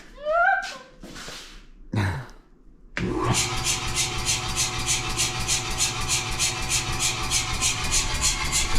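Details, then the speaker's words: New Anyang 106 power hammer, just installed, bolts not yet tightened, back guard off, ram disengaged: after quiet start motor catches into even, rapid pumping pulse; idling normally. "So right now I've got it disengaged, so ram's not moving. It's just sitting there idling pretty much. So let it sit here and idle."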